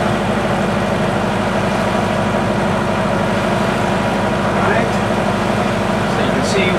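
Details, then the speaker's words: Classic powerboat inboard, warmed to 175, at normal cruise of 1500 rpm, heard in the cabin beside the engine behind 2 inches of sound-deadening insulation: smooth, steady low drone with no knocks or surging, normal. "Alright, we're running at 1500 RPMs and this is the noise level. Remember, the engine is right there."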